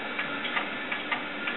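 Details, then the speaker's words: Vintage desktop stored six years in a shed, at boot: sharp, uneven clicks every quarter to half second over a faint hiss from the hard drives; suspected seek errors and dead drives, not confirmed. "Oh, those hard drives are so dead. No way. I mean, I know old hard drives used to sound bad, but that sounds dead. That sounds like the click"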